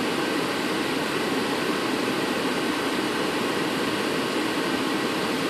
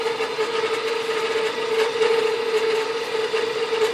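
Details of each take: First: Furnace blower with the time delay relay bypassed, wired straight to the power converter fuse: a steady, even rush of air with a smooth motor hum and no cutting out, running at 100%. Normal blower without the faulty relay. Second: 12 V furnace blower fed through the time delay relay, with the thermostat simulated by a jump pack and power from the converter's 15 A fuse: after about 5 seconds, a weak hum with airy hiss and no speed build-up. The faulty relay starves it and the blower barely runs.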